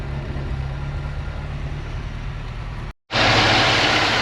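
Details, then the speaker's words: Volvo 240 off the road 19 years, after new spark leads and correctly fitted rotor arm, misfire gone: low even idle with no stumble for about three seconds, then loud rushing noise covers it; running much smoother. "so she's running a lot lot smoother now"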